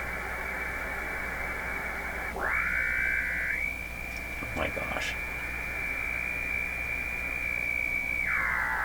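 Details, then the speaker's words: Hallicrafters TW2000 World Wide during Band 2 (15 MHz) alignment, local oscillator monitored on SDR: steady high tone sweeping with dial tuning, carrying a faint warble though LO should be unmodulated; cause unknown, further circuit problems suspected. "local oscillator should be an unmodulated signal it shouldn't have any sound coming out of a radio like this"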